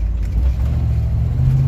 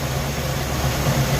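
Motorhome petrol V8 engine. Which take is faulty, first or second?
second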